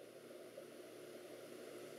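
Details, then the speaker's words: Alienware Aurora M9700 laptop powering up with new power adapter after hard drives removed: steady even airy whir, no rattle or grinding; fans spin up smoothly for the first time, running normally. "can hear the fans spin up first time we actually heard them so that's a good sign i think"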